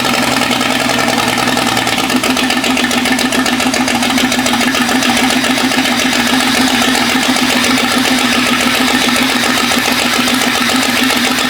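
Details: Jeep 5.0 stroker during pushrod/lifter fix: loud clattery lopsided idle, dead cylinder dropping out; exhaust temperatures show the middle cylinder at 220–230 versus 400. Different pushrods may be needed. Misfire on one cylinder.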